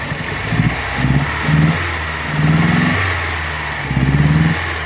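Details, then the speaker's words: 1985 Chrysler New Yorker project car, original, at about 60°F with the battery not charging. Idle surges up and drops about once a second, with an uneven beat like a missing cylinder. Idle hunting; the idle air control is suspected, unconfirmed. "I think the idle air thing is catching up I can hear it"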